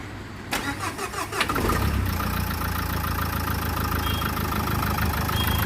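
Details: Renault Duster starter motor after overhaul: quick, even cranking pulses for about a second, then the engine catches and settles into a steady idle; starter sounds healthy.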